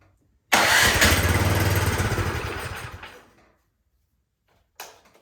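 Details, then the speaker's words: Cub Cadet snowblower with electric start, full choke and priming, with gas and oil present: about three seconds of cranking that slows and dies without firing. Fuel isn't getting from the carburetor into the engine, so the carburetor will be removed. "Okay, so we have some kind of fuel issue getting from the bottom of the carburetor into the top of the engine."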